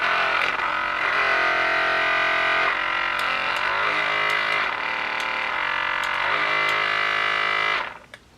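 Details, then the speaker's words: Cordless battery massage gun on its higher "super vibration" setting: a loud, steady high buzz pulsing about four times a second, with a weird vibrating sound. The motor noise level is unacceptable. "the noise level is just unacceptable as well."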